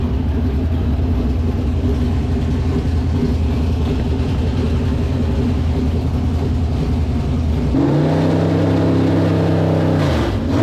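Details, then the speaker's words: Street stock race car V8 idling then blipped, after steering and cooling work; uneven low rumble with an odd noise from the back of the engine, suspected transmission; abnormal noise from rear of engine. "I think it's the transission it's probably just a BL it sounds like on the back of the motor"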